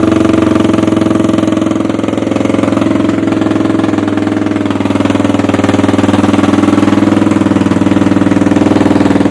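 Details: 1986 Honda Foreman 350 ATV after carb cleaning, starts easy, given a little tickle with a screwdriver; loud steady single-cylinder thump at constant idle with no misfires or stumbles, normal healthy idle.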